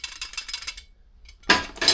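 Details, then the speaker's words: New fully floating brake disc for a Yamaha R1, shaken by hand: bright, loose metallic jingling as the free outer ring rattles. This is normal for a fully floating disc, unlike the silent semi-floating disc. "So again, this is fully floating."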